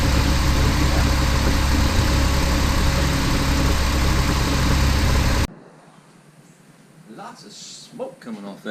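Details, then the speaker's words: 2010 Jeep Wrangler Unlimited JK, just after replacing and torquing the driver's side exhaust manifold: a steady, even idle with a smooth low rumble and no ticking or exhaust puffing before it cuts out. "Okay, everything is on. Everything's torqued down. Let's start this thing up. Oh, sounds good."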